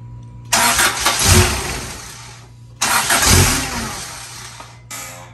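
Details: Acura Integra GSR B18C1 with a P75 ECU from a 1995 Integra LS and an Omni Power 3-bar MAP sensor; ECU reset, no codes, idle air control heard. On easy throttle it twice cranks, catches, runs ragged briefly, then stalls.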